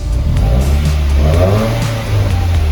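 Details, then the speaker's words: Subaru WRX FA20DIT engine running after about 40 hours of repair work: deep, even note rising and settling smoothly with no knocks or misses under background music; normal rev, engine sounds healthy. "dude i think we're there i think you did it"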